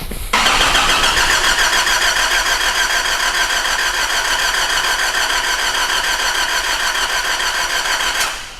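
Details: 2005 Nissan Navara D22, 3.0 ZD30 turbo diesel with a rotary (not common-rail) pump, complaint of no start: starter spins at about three and a half even beats a second for eight seconds with no firing; cranks, won't start.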